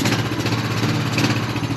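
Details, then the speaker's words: 2003 Honda Rancher 350ES after replacing the solenoid and starter: starts right up on the key and idles as a steady, even putter with a low firing beat, no knocks or misses; normal idle. "so when you turn the key starts right up that is great news"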